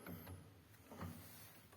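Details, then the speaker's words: Grand piano action, Herz-type wippens, removed from the piano: soft wooden knocks with a faint thin squeak each time the upper wippen lever moves; squeak caused by the upper repetition spring rubbing. "если мы ещё раз попробуем нажать на рычаг на верхней фигуры вот у нас опять идёт этот скрип то есть мы делаем вывод о том что верхний рычаг фигуры почему-то скрипит"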